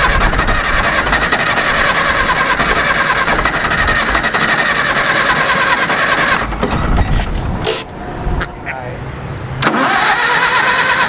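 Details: Caterpillar D4 7U dozer with HT4 Traxcavator loader, revived after many years in a pasture, first try after fitting new starter and solenoid: catches with steady diesel clatter, drops off, fires again; starts without struggling.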